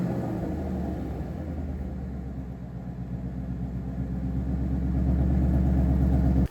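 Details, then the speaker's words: Gen 2 Coyote V8 in a donor Mustang, restarted with the driver's side of the engine jacked up after a broken driver's side motor mount let a pulley contact the sway bar mount; deep even rumble rising slightly and holding, no knocks, rattles or squeals, healthy. "So as you can hear, it is perfect. It fires right up, no funny noises, no smoke, no issues whatsoever."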